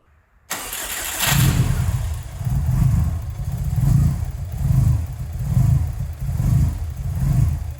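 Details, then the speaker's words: Engine idling after swapping a 65 mm intake for an 83 mm short ram intake without a tune: idle surges and sags about once a second, never settling; running so lean it is outside the AFR sensor's range, lean idle. "uh-oh now the engine sounds like what's going on now you might be tempted to think that this new intake messed with the idle somehow but that's not the case the engine's actually running lean so lean in fact that it's operating outside the sensor's range that's not good"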